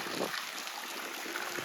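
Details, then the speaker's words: In-ground pool pump at 100% speed under Hayward OmniLogic with slide on; gurgling, uneven splashing and sputtering flow; owner thinks it is sucking air into the lines, suspects low water level, not confirmed. "And yeah, I think it's sucking air. I'll have to check the water level, but you get the idea."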